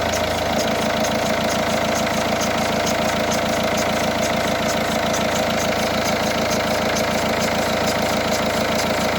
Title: Peugeot 308 sw 1.6 hdi. Strange sound, belts? Bearing? Got it only when engine is cold.